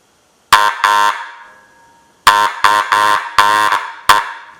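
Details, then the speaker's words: Restored antique Electric Auto-Lite car horn bench-tested on 12 volts: loud, buzzy, steady-pitched honks, two short blasts, a pause, then five more; the horn sounds strong and healthy. "Alright. Yeah, I kind of like it on 12, so I don't know. Alright. Well, there you go. Our restored horn."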